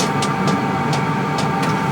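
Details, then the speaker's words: Vevor 8 kW diesel heater turned down from setting 3 to lowest setting 1 / Alpine sleeping mode: steady low hum with faint whine and soft tick about every quarter second; runs evenly at lowest rate, normal. "if I put it down to number one it's going to be the lowest speed and then you'll be able to to kind of hear the sound difference between this"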